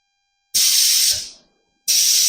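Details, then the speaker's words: Goldwing trike air ride suspension after Motor Trike replaced worn shock bushings, a worn-through airline and leaking airbags, pumped to 52 then released: two sharp hiss bursts cutting off cleanly as pressure dumps; normal air suspension release, no leaks. "Letting the air out."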